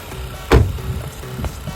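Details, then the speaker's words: Car engine after replacing a leaking canister purge solenoid (carbon canister valve) that caused ticking, with the connector plugged in. After one thump it settles into an even low idle with no ticking: fixed, normal idle. "听到没有？哒哒的声音没有了，走，去前面看。"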